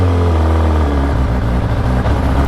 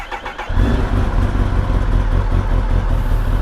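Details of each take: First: Kawasaki ZX-10RR with a slip-on exhaust on a ride: hesitation and jerking at low rpm, uneven chugging tak-tak pulses, fine at high rpm; owner suspects fuel, since the previous owner's octane and E20 ethanol use are unknown. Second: Kawasaki ZX-10RR with a new battery and a slip-on exhaust: quick crank, catches at once and settles to an even idle, almost stock sound, slightly louder from the slip-on; healthy start despite the known faulty servo.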